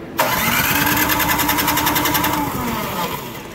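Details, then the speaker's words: PowerSmart DB7651-24 snowblower that sat with fuel in it; the gas looks clear with no water: steady cranking around three and a half turns per second without firing. Spark and compression are good, so a dirty carburetor is blamed and ultrasonically cleaned. "so this powersmart unit will not start they say at all so the gas in it looks okay i looked at it it looks pretty clear i didn't see any water in it at all if i had to guess it's a carburetor issue if it's not starting at all"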